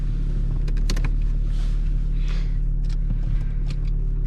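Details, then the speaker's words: Pre-facelift BMW E39 525tds diesel cold start in winter: deep steady idle with light even injector clatter, constant speed, no stumbling; healthy normal idle after cold start. "so as you can see, there are differences, I want to be able to hear how this one starts beautifully"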